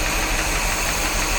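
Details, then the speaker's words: 1973 Corvette 454 big block, revived after sitting since the 1980s, with rebuilt carburetor; loud, lumpy idle. Unplugging number 8 plug wire changes nothing and temp gun shows its exhaust about 100° vs ~200 elsewhere, so cylinder 8 is not firing. "take a look at this one it's like 100 degrees i can't really get close to it but at the same time it should be hotter than that so number eight is not firing"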